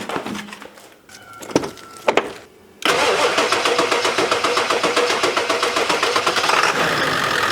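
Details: 2001 Ford F-350 7.3 L diesel that would not run, after replacing the high-pressure oil line feeding the injectors: a brief crank, then it catches promptly and settles into a steady diesel idle clatter with no oil leaking. Normal start and idle.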